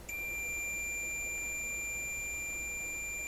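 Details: Multimeter continuity check on the heater feed to the type 27 tube in a 1928 RCA Victor Model 28V radio, no tubes plugged in, both sides reading 16: steady unbroken high-pitched beep throughout, showing continuity.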